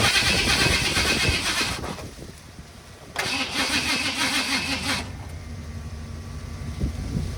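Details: 1978 Ford F-150 plow truck, sat about a year, carburetor rebuilt: steady cranking chug, about three turns a second, dropping off then retrying without catching, weak battery; fuel reaching carb, later found a fuel hose leak. Long crank, no start.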